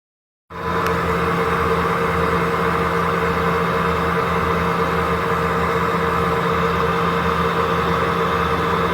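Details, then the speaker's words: Bush (UK) dryer in spin: constant droning hum with a steady whine on top, pitch unchanged; tub bearings have failed, and the rear tub would likely need replacing. "Sean also says that tub bearing is screwed up."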